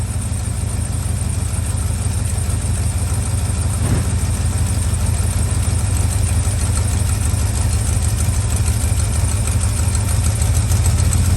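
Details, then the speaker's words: Old truck V8, just started cold on choke: steady, even low rumbling idle, no knocks or misses, no blue smoke. Normal cold idle. "this truck runs and drives not not a not it did not spit blue when this thing lit up just now it nothing no blue no nothing"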